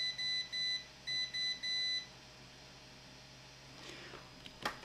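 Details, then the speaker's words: SK Hynix BC511 SSD that stopped working, probed with a meter in continuity mode: short high beeps in quick bursts at each point ringing to ground; a rail is shorted, possibly a bad diode. "we have a short in here we have a short in here so what can it be guys it definitely could be a bad um um diode obviously if this is ringing right now"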